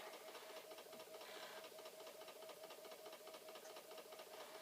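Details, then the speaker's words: Flood-damaged Commodore C2N datasette winding a flipped tape, rewinding that acts as fast forward; the small motor whirs with a fast light rattle and sags, slowing again like an earlier failed fast forward; the tape is suspected. "this is going to rewind or fast forward and oh it is slowing down again maybe there is something with this tape you never know you know it is definitely slowing down"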